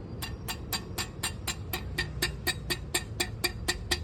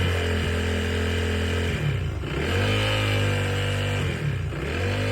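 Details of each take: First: Honda PCX 160 scooter, engine running, center stand installed: sharp metallic ticks and rattle about twice per second; the dry, unlubricated stand pivot rattles metal on metal from engine vibration, and the noise stops when the pivot is removed. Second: Honda PCX 160 scooter after servicing and refitting the center stand: clean throttle blips over a steady idle with no metallic rattle following the revs; the center stand rattle is fixed and the scooter sounds normal.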